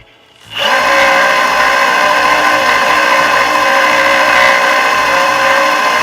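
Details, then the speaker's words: Boosted Board V2 Dual+ electric skateboard, one hub/drive motor recorded with separated mics: harsh, rough, gritty whir like a drill into wood, versus the smooth working wheel; faulty motor grinding, swapped. "how that kind of sounds like a drill like drilling into wood or something like that that's not good"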